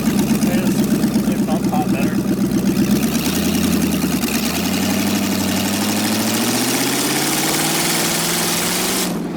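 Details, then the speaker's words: LS V8-swapped Miata kart on its original tune just unlocked, driven in the parking lot; a lumpy, uneven V8 beat near four pulses a second settles as revs rise, still stumbling because the O2 sensors are not connected. "that's the original tune just unlocked right there so okay that's not uh it's still stumbling a little bit because we don't ha"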